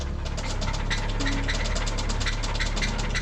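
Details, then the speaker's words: Subaru started after hibernation: loud sharp metallic knock about six a second over a rough idle; severe rod knock, likely a hole in the block. "Oh my god, it sounds like a fucking AK fucking 47 BB gun. So bad. There's a hole in that block."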